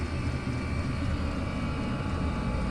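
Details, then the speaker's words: Chinese diesel heater after its ticking fuel pump was replaced with an ultra-quiet pump on a rubber mounting: a steady low roar from the blower motor with no pump ticking, much quieter than before. "I don't think I'd be putting the noisy one back in that's much better"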